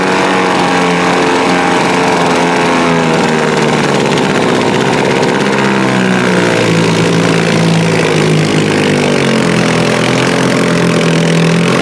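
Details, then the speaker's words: 1948 Sea King 5 outboard (Montgomery Ward, made by Gale), 75 years old, carburetor rebuilt, coils and points swapped, probably first run in a long time: buzzy two-stroke note, slight pitch drift, steady firing with no misses; still needs balancing. "This is the first time this thing's probably run in a long time. Again, we had a donor engine. I just need to make sure it's running right and try to balance it, but I think it's good to go."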